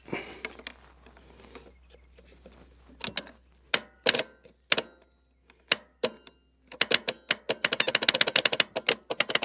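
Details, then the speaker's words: Abandoned Case 450 dozer, thought late 1970s–early 1980s, starter a tad warm: sharp dry clicks, then a rapid chatter of about ten a second, with no cranking. The starter is suspected of not engaging, not the engine. "I like the starter ain't engaging now I mean I don't think it's the engine because you don't hear it go boom it's like it's almost like the starter is just not trying to engage"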